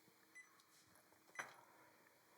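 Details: LiTime 140Ah LiFePO4 starter battery with replacement BMS: a couple of faint short high chirps in a quiet room as the BMS powers on and connects to the phone app; normal power-on beep.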